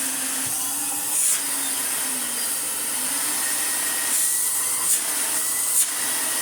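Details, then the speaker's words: Electrolux Dolphin Silver Electronic 1000 Z2225 straight-suction cylinder vacuum, first run before refurbishment: steady motor rush with wavering low drone and scrapes; owner suspects the rear sleeved motor bearing is causing the noise. "You only take the back bit apart, and normally a sleeved bearing, which is probably what that noise is there."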